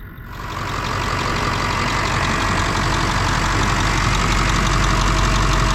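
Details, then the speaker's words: 2000 Ford Super Duty 7.3 diesel barn find, 65k miles, sat a long time; fresh battery fitted. Steady diesel clatter settling into a smooth idle with no misses or knocks; idling normally, with slight power-steering whine noted. "we really want to hear how it runs seems to idle okay power steering did fine enough"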